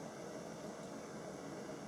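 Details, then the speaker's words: 1950s Burmos pressure stove, just lit after methylated spirits preheat and pumped, valve closed tight for full output: even, steady soft roar with constant hiss, no sputtering or pulsing; burner running cleanly at full output, perfect first time. "You can hear it hissing. And I've got the valve closed tightly, and that will give us the full go, and there we're off."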